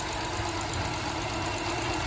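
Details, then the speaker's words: 2012 BMW X5 at idle: hissing, whistling high-pitched screech over an uneven, stumbling idle with misfires. The noise stops when the oil filler cap is removed. Cause is a torn PCV valve diaphragm; the valve cover assembly needs replacing. "it's making a high-pitched screeching noise as you can hear and it's misfiring running very poorly"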